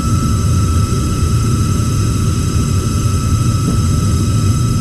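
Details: Heil gas furnace just fired up: thin, steady high squeal over burner rumble; the inducer motor sounds tired and has no oil ports.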